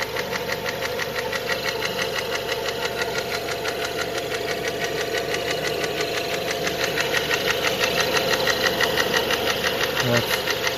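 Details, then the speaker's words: Renault Megane 2 1.6 automatic after an oil leak: sharp, even ticking knock about twice a second over the engine hum; knocks on cold start, with the phaser rattling at cold start, and also knocks when hot; source not yet found. "Вот так стучит двигатель на холодную при заводке. Фазик потрещал. Вот так стучит на холодную."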